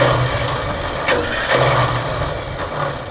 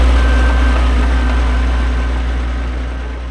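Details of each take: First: Vintage TD9 bulldozer starter whirs freely with a steady hum and brief clatters but never turns the engine, even after greasing the pinion. Worn pinion teeth noted; owner suspects the one-way bearing slipping on the shaft. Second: Vintage TD9 bulldozer diesel after starter motor repair, shim added behind the worn starter drive so it engages: deep, steady chug of about four beats a second, settling evenly; idling healthily.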